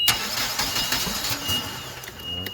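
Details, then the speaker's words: Clark forklift with Hyundai Theta 2.4 engine, runs rough and hesitates under load; brief starter churn, catches unevenly and settles to a shaky idle near stalling; a part was already replaced; hard starting, cause unconfirmed. "sometimes it's hard to start okay you can hear it there's one thing"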